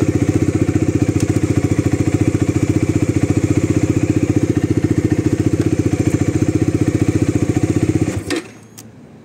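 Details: Bajaj Dominar 400 motorcycle that wouldn't start in the morning, battery not holding charge and due for replacement; started on a jump starter on the third try: steady, even thumping idle, about two hundred pulses a minute, no misses or knocks, then shuts off; engine healthy.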